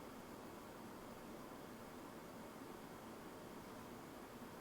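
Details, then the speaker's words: Fractal Design Mood Mini-ITX PC under load; dust filter over graphics card removed; CPU 89°C, GPU 75°C: soft steady airy rush, normal fan noise. "Fractal Design suggests we might remove the dust filter from the cover over the graphics card for improved airflow, so let's try that. Leaving the fans on the same settings, the system sounds like this."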